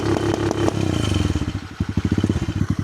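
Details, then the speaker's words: Cheap Amazon pit bike single with new replacement motor and quieter aftermarket exhaust: revs up then stutters in rapid even on-off bursts as the adjustable ignition rev limiter cuts, holding near 6,000 rpm; quiet exhaust note. "Oh, it's actually way quieter. All right. Well, that's 4,000 RPM."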